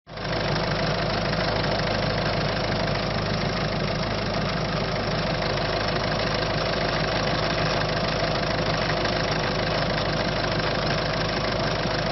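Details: Peugeot/Citroën 1.6 HDi diesel at idle; steady rumble with a coarse, uneven clatter laid over it throughout, abnormal knocking noise at idle, cause not confirmed.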